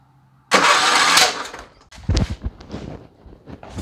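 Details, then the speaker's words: Craftsman riding mower with Kohler Command engine, no start. Cranking gives a sharp, loud backfire and then weak uneven sputters without catching. Suspected sheared flywheel key or valve train problem, later fixed by replacing the flywheel key. "So a solid backfire like that, generally I'm thinking valve train or sheared flywheel key."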